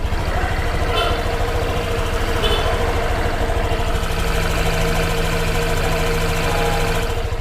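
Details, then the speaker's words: New Honda Vario 125 scooter at 0 km, CVT: an even, steady hum from the belt drive with a smooth low drone and no knocks, slips or grinding; normal CVT sound. "Kita dengerin suaranya nih kalau dari CVT nya ya segini normal teman-teman"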